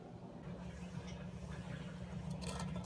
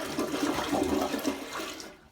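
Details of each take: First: Toilet blocked despite two plungers, a snake and a Johnny Jolter; hand auger fed into the trap: rough scraping and rattling bursts over a low hum as it catches on a hard object lodged in there. Pushing down from the top later cleared it. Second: Toilet after the blockage was cleared by auger from the top and a bent hanger: a strong rush of water swirls and drains away cleanly, then the tank refills quietly. Normal full flush.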